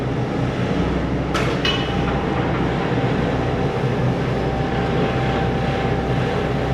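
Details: Volvo 140 diesel started after cleaning and injector/filter work: steady, even drone with an unbroken low rumble, no knocks or misses, no warning lights; running healthy.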